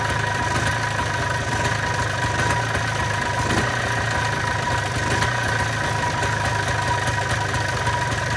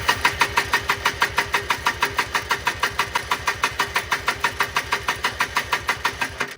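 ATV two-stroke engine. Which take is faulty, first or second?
second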